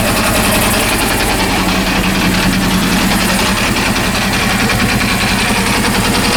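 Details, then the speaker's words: Honda CB400 engine after home rebuild: a quick, uneven ticking of about three beats a second over a steady idle. It is an abnormal mechanical noise of unknown cause. "ah very strange this is very strange situation i don't know i don't know what is the reason this noise i think this noise is natural not good"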